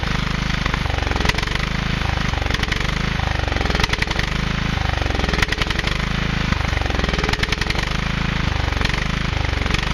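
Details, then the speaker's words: 1997 Husqvarna YTH150 lawn tractor (AYP), carburetor suspected clogged: a rough, pulsing chug that surges and sags about every second, running only on starter fluid. A fuel delivery fault is suspected, not confirmed. "hi so the key thing that you couldn't see on that little clip of video was that all of a sudden it started running right"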